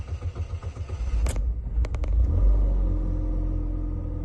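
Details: Chevy HHR, starting after sitting a few minutes, with new timing chain, plugs, coils, MAF, MAP, cam and crank sensors, fuel pump, evap solenoids and O2 sensors: starter churns over a second, clicks, then catches into a low rumble; hard start, long crank.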